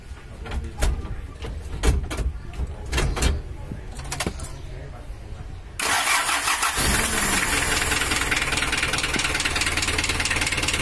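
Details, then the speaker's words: Mitsubishi L300 engine, test-started before the cylinder head was removed, cranks with hard knocks, then runs rough and unsteady with low power and an uneven idle; a cracked head causing water hammer and a bent connecting rod is suspected. "pun kayak kurang bertenaga goyangannya mesin dan rpm nya itu tidak berkenan"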